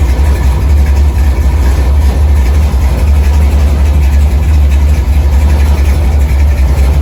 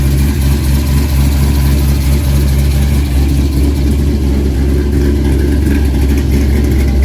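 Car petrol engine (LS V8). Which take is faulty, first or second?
second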